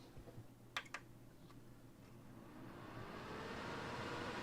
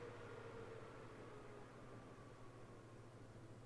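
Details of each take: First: NAS in a Silverstone CS382 case, drives and LSI card removed, with CPU fan, one case fan and two drive-cage fans: a steady airy whoosh swells into a loud constant roar from the drive-cage fans running full speed. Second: NAS in Silverstone CS382 case, chassis fans on a Y adapter to motherboard fan header, switched from full speed to Performance setting: soft steady hum and airy hiss, no rattles or whine; fans running smoothly, quieter.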